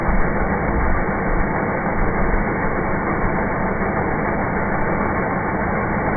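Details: 1996 Ford Explorer Sport 4.0L with P0303 cylinder 3 misfire; steady low idle with faint uneven shake, no change in idle when cylinder 3 plug wire lifted at coil pack, showing no spark; swapping wires changed nothing.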